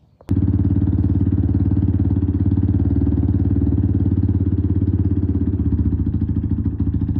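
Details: 1996 Suzuki DR350 single-cylinder, unrun for over ten years: even thump about 210 beats a minute, catches instantly and holds a steady idle, runs cleanly.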